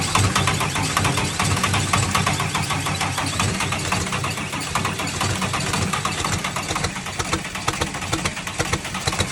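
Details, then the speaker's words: Tucker Sno-Cat diesel that stalled and sat over a month, then only cranked: after bleeding air from the injector lines it gives heavy, uneven chugging with cylinders starting to fire, but it doesn't catch. "all right as you can hear it's starting to fire so we might have fixed it"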